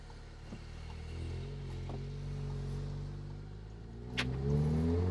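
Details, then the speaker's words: Golf R pulling away gently with a new Bull-X downpipe, resonator delete and exhaust flaps open, oil not yet warm: quiet, even exhaust note rising smoothly, with no puffing or ticking now that the earlier exhaust leak is gone. "okay the thing is so much more quiet now even the resonator delete even the exhaust flaps open the larger downpipe it's so much quieter what it was with that terrible exhaust leak that we had yeah sounds good"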